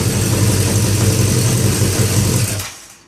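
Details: 1982 Yamaha XJ550 Maxim, previously not running and hot-wired to start: strong, even low-pitched burble with a steady firing rhythm for over two seconds, then a clean shutoff; normal running.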